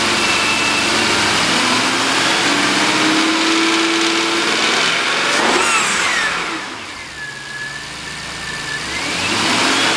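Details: 2003 Jaguar XJ8 with an automatic and 138,000 miles, rear-damaged and being parted out, recorded from a tripod camera: it starts and settles to a smooth even idle, and revs rise and fall cleanly without miss or knock. The engine sounds healthy.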